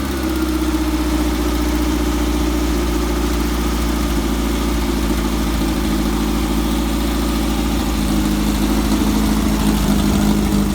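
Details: Red buggy's air-cooled engine just got running after turn-signal wiring was finished: steady, even idle with a low throaty drone, no knocks or misses; running smoothly.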